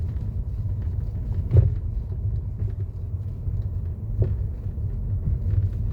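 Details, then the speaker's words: 2015 Mercedes-Benz E-Class W212 at crawling speed on a rough road: occasional sharp clunks from the front driver side over low road rumble, louder when slow. Blamed on play in the front tension strut ball joint, despite earlier suspension parts replacement. "천천히 가니까 여기 그냥 전에 영상이 있는데 볼 자체가 유격이 더 공간이 더 커지잖아요 그러니까 소리가 더 커질 수밖에 없죠"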